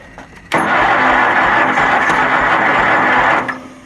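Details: Kohler Magnum 20 engine on a Wizard garden tractor, second start after repairs, after priming the carburetor with gas and choked: steady busy starter whir about three seconds without catching, then drops away; extended cranking.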